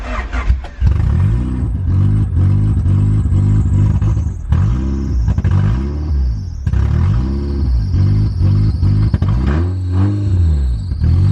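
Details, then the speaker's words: Honda EG8 Civic, first start: each throttle blip swells briefly then sags to a lumpy idle, never revving cleanly. Owner suspects an intake vacuum leak; codes flag O2, IAT/IACV and an unplugged VTEC solenoid. "So I know we have an intake or some kind of vacuum leak. Let's see if we can actually rev it this time."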